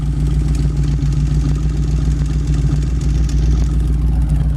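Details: 1932 Ford Tudor sedan all-steel resto rod with a fresh 200R4 automatic overdrive, 3,898 miles since built: a deep, lumpy, even V8 burble at steady idle through the exhaust, with no knocks or ticks; healthy.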